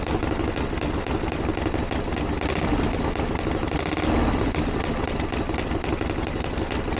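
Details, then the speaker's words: 1982 Harley Ironhead Sportster, open pipes, idling after start following running-issue work and timing set: loud V-twin with even lumpy beat holding steady; healthy idle, better than ever, though still seems lean under acceleration. "I can't believe that that's fantastic that's a lot better than it's ever been probably still needs a little bit of darling and it feels a little bit lean under acceleration"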